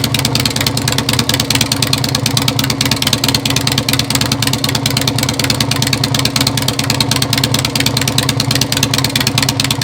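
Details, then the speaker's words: 2001 Harley-Davidson Sportster converted into a taller offroad scrambler ("Dirtster"). Loud, even, lumpy V-twin idle with a steady uneven-firing potato beat and no knocks or rattles: a normal, healthy idle. "With that, we'll fire it up here, give you a little listen."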